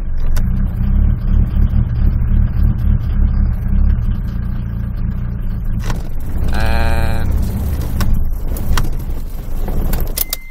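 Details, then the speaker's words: 1996 Mitsubishi Pajero, 2.8 L 4M40 four-cylinder diesel, automatic, after startup possibly warm: idle sags and lumps unevenly with a bleating squeal, revs fade and it stalls; later fixed by replacing the injection pump front seal. "usually what happens is the motor will just it'll just sort of cut out and you'll see the revs will go and die but it's not doing it so that's interesting"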